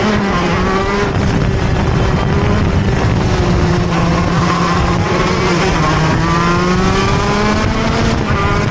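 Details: TM Racing KZ-R1 two-stroke go-kart engine on track; wail climbs, then sags and hesitates pulling out of a corner before recovering: engine bogs on acceleration out of corners.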